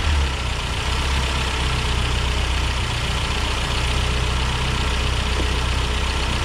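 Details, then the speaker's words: 1991 Toyota Pickup 4x4, manual, freshly installed rebuilt 2.4L 22RE long block replacing original with rod knock at 236k miles; first run after oil priming, steady low idle with even pulse, no knock, sounds healthy. "alright so the motors running sounds good just gonna put the hood on give it a good test drive"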